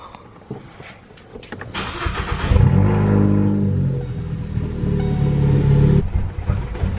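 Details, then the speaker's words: Car with a 20 A fuse removed during a stratified 2-port auxiliary fuel install, run deliberately until it stalls: it catches, idles unevenly a few seconds, then sags and falters as the fuel runs out. "that's what it sounds like when you run away guys oh yeah basically all right crank it for another 20 seconds"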